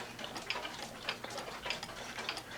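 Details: One-day cuckoo clock (owl and grapes) with rack and snail striking. Crisp, even tick-tock at a steady beat with no skips, stutters or dragging: the movement is running normally.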